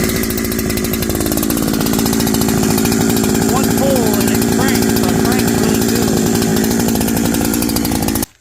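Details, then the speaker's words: NEO-TEC NH872 71cc gas chainsaw (Husqvarna 372XP-compatible parts) with 28-inch bar, newly assembled: starts easily without re-choking and holds a strong, rapid, even putter for several seconds before shutting off; normal running. "So again, we're going to crank it. And then we'll see if we can find something to cut. It cranks really nice. I didn't have to re-choke it."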